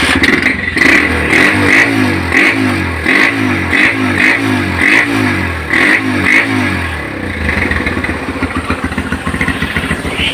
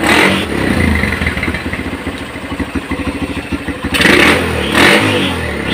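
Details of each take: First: Honda GL Pro Neotech motorcycle, which sputtered and stalled when hot but ran fine cold, after repair: quick clean throttle blips, then a steady, even idle. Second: Honda GL Pro NeoTech motorcycle: the engine fires unevenly, sputters and stumbles on first throttle opening, and dies when hot but runs fine cold. Charging and ignition were checked normal; a too-rich carburetor setting or weak ignition is suspected.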